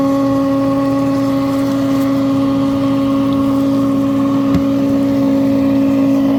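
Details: Frigidaire dishwasher running; loud steady droning hum with a fixed tone around 270 Hz; defective motor found and replaced.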